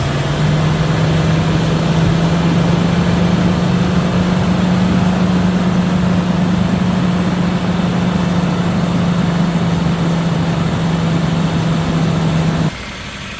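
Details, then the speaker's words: 2004 Lexus GX470 after starter replacement and ground cable work: fires right away with no hesitation, then a smooth, steady hum holding one pitch without dips or misses until shut off; fixed. "okay as you guys can see I mean it it fired right away I mean no hesitation no delay no hard starting so yeah I mean I guess we can call this a fix definitely"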